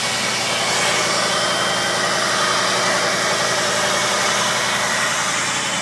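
Steady high thin squeal sitting over a hissy idle, constant pitch with no rev change: a screech from somewhere in the engine bay.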